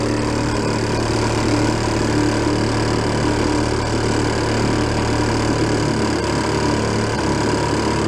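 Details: 1937 Sears Water Witch 2.5hp outboard, 83 years old, revived after about 60 years in a shed, mixture set richer: steady, even two-stroke drone with constant low hum under load on water, no knocks or misses, getting warm; normal running.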